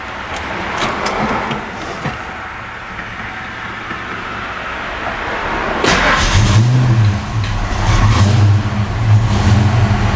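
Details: Ford Fox Body Mustang started right after an oil change with Castrol Magnatec topped off with GTX: the engine catches, settles and revs up cleanly with a steady low rumble, no knocks or misses; running healthy.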